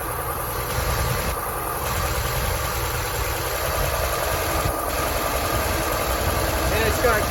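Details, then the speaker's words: 1964 Chevrolet C20 V8 run after sitting 19 years at a gold mine, auxiliary fuel pump fitted; lumpy, uneven, tractor-like idle with irregular lope, yet oil pressure good at about 40 psi; rough idle, cause unconfirmed. "it doesn't sound the best sounds like a tractor but it's actually got really good oil pressure"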